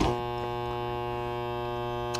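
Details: LM1875 IC audio amplifier run with no or little power-supply filter capacitance: a loud, constant low buzz with a rich stack of overtones. Mains hum from supply ripple.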